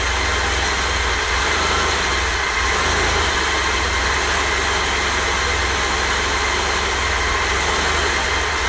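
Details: 1988 BMW E32 735iL, M30 B35, first start after full engine rebuild, fuel pump primed: steady even roar with no knocks, ticks or misses at constant level; rebuilt engine sounds healthy and smooth.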